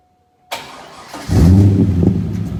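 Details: Chevrolet Corvette C5 Z06 V8 start and idle after a Magnaflow cat-back exhaust install, checked for leaks: brief crank, then a deep, even burble at a steady idle with no ticking or leaks.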